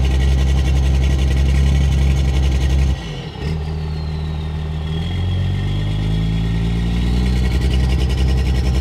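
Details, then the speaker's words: Diesel truck idling then revving with heavy rattly clatter; injection timing advanced to 32 degrees prolongs combustion so it rattles through cylinder walls. "unlike blue truck over here that has 32 degrees timing and the combustion event is happening for a lot longer span of time he can hear it rattle through the cylinder walls"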